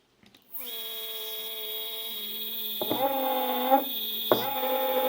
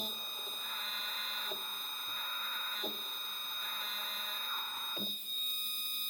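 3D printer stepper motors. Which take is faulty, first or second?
first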